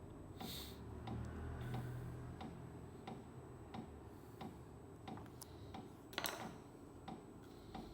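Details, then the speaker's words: New 5 kW Webasto 12 V diesel heater on first start, fuel lines filling with air purging: soft steady ticking about 1.5 per second over faint fan hum as the dosing pump primes normally. "Bakın hızlanmaya başladı. Şu an tekrar vuruyor"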